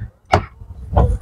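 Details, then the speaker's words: Fiat 500 boot catch after repair, tested before refitting panels: brief motor whir, sharp clunk, then smaller thump as the latch releases; actuator motor now works properly. "See, it's working now. You could actually hear the motor being operated."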